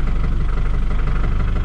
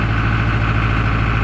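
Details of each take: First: John Deere 5410 diesel tractor after clearing algae from fuel system: steady even idle at constant speed, slight occasional surge from air in the line, revs with good snap; normal idle, problem fixed. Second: John Deere 5410 diesel tractor, which lost power after spreading lime, starting and idling on the hand throttle with no load: faint uneven pulse, revs sagging and recovering; idle surging from fuel starvation, algae in the fuel.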